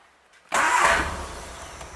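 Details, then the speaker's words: Engine cold start after sitting for hours with fresh oil: quiet, then catches abruptly and settles into steady idle, listening for knocking and none heard; oil pressure checked afterwards, reading somewhat high. "well there wasn't any well that's what we're going for"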